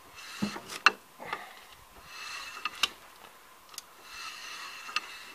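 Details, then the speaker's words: Citroën ZX 1.9D at a 500,000 km service, wheel turned slowly by hand after reassembly: a soft scrape with a sharp clunk about every two seconds, caused by the brake disc rusting onto the pad during the work. "J'entends comme un bruit. Et j'ai trouvé ce que c'est, en fait, c'est le disque qui a rouillé sur la plaquette pendant que j'ai fait toute la mécanique."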